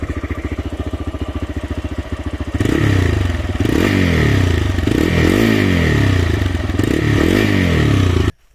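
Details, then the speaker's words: TVS Raider 125 single-cylinder motorcycle at about 28,875 km: lumpy idle with fast light ticking, then revving with a metallic "ting ting" on top; ticking valvetrain noise, not confirmed. "अब हम बताते हैं इसमें अभी क्या annoying sound आ रहा है listen carefully कुछ टिंग टिंग टिंग टिंग टिंग टिंग साउंड आ रहा है"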